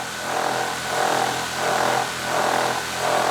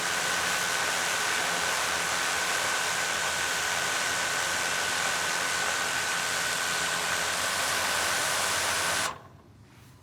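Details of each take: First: DJI Mavic Air 2 with aftermarket Master Airscrew propellers idling on a metal table outdoors: steady motor whine swelling and fading about 1.5 times a second as the drone vibrates and rotates a full 180 degrees untouched. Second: DJI Mavic Air 2 idling on a hard table with stock DJI props, no stick input: steady, even rushing hiss with a fixed high tone, holding solid with no shaking, unlike the vibrating Master Airscrew props.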